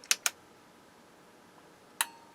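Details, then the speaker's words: Sansui 771 receiver at its first power-up during restoration: two quick sharp clicks, then a third about two seconds later in a quiet room; the speaker protection relay pulls in normally and draw settles around 12 watts. "relay click right away settling around 12 Watts which is good"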